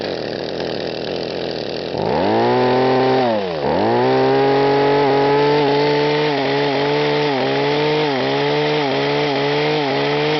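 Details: Echo HC-1500 petrol two-stroke hedge trimmer, carburetor rebuilt so no leaks: at high revs the pitch rises and falls roughly twice a second, engine surging or hunting; owner asks the cause, suggests rev limiter, unconfirmed.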